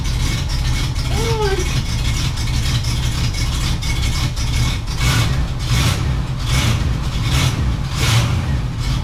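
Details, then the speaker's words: 1967 Cadillac Coupe DeVille V8 started after sitting about a year; a deep, steady burble holding an even idle with no knocks, misses or ticking, sounding as it should. "okay hold up that's what you should sound like"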